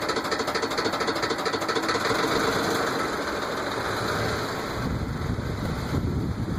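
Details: Quick, rather irregular tapping over a Ford F-150 engine at about three per second; owner suspects rod knock, unconfirmed.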